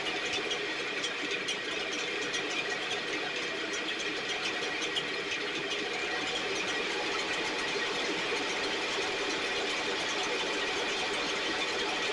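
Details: STIHL 6R 450 two-stroke backpack blower after cleaning and repair (idle had fluctuated and could not be adjusted): steady, raspy drone at even speed with no surging or dying, running much better though still loading up slightly, with carbon buildup suspected.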